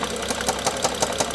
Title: n55 bmw f07 engine knock part 3